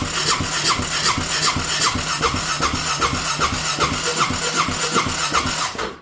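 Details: Honda Rincon 650 ATV after rebuild with new cam, fuel line just reconnected and likely needing priming: steady starter churning about two and a half strokes a second, only a faint catch, then silence; cranks but won't start.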